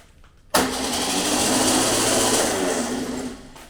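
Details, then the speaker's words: VW Beetle 1200 engine on a test stand, compression test with valves unadjusted and plugs oily: starter cranks with a rushing, uneven churn, no firing; zero compression on number one cylinder, exhaust valve held open by a stuck lifter (another cylinder about 85). "okay so zero compression on number one cylinder so having a stuck valve that's something we need to investigate"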